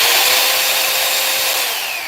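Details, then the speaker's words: Hoover PowerDash vacuum with original fuse in place, powered on: steady high-pitched motor whir with a rush of airflow, smooth and even, easing off at the end; motor gets power, fuse doing its job. "All right. So, we have power. So, the fuse this fuse is doing its job."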